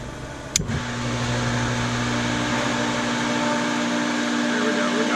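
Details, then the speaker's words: Newly replaced Hayward 1.5 HP Superpump pool pump after priming, valve on and power on: a click, then even, steady motor hum with constant low drone and water rushing, running smoothly and flowing well. "we got our pump replaced that's flowing real nice I can hear the water flowing out in the pool"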